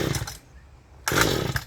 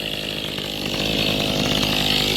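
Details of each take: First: Mantis tiller recoil pull-start with choke on and gas added directly: two short rasping pulls with no catch or firing. No-start, video traces it to the carburettor fuel-pump diaphragm; owner also suspects weak spark or coil. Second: Mantis tiller two-stroke engine after carburetor fuel pump diaphragm replacement, idle just lowered a little, owner noting it almost wants to stall: settles into a steady, even buzzing idle with no stumbling or surging; normal idle.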